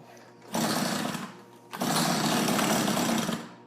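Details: Tecumseh TC300 two-stroke on an Eskimo ice auger, after new rings with compression just under 90: two short rev bursts that fall away instead of idling with the choke fully off; carb tuning suspected.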